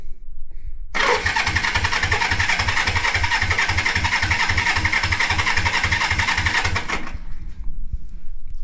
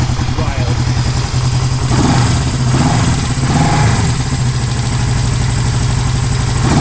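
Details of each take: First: 1973 Honda CB350G twin, first start attempt after 10 years in storage with new battery and cleaned carbs: cranks steadily at about four pulses a second but never catches; no spark until the points were cleaned. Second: 1973 Honda CB350G's first start in over 10 years after cleaning the points, carb still leaking: even, steady twin-cylinder putter holding a firm idle with no misses; normal idle.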